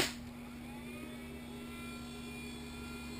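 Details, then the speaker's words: Homemade 24 V supply from two 12 V server power supplies wired in series, main switch on but supplies not yet switched on: quiet, steady fan whir with faint constant high whine; fans idling normally at standby. "when I turn it on, you'll hear the fan start up in these, and it's still not on. That's just powering them on."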